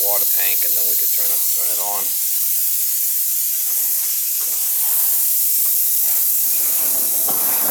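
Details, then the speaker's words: Winterized cottage water system being restored after freeze-up: continuous sharp arrhythmic hiss as trapped air is drained from the water tank while the system refills. "We gotta drain air out of the tank first thing."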